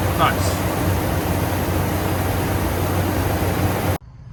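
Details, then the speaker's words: Ford F-250 Super Duty idling steadily after alternator replacement; the squeak from worn alternator bearings, first blamed on the belt tensioner, is gone, with no chirp from the belt area. "Truck's running good now. His squeak's gone."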